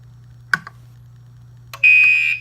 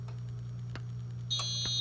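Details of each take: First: Gentex Commander 2 mechanical horn on a 24 V model, set to code 3 with constant output from the panel: loud, harsh blasts about once a second, evenly spaced, over a low mains hum. The horn is sounding normally in alarm. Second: Gentex Commander 2 horn strobe, 24 V, set to mechanical horn with constant panel output, on silence with misset DIP switches: low mains-like hum then thin high whine as the speaker buzzes and the panel shows trouble on NAC 1.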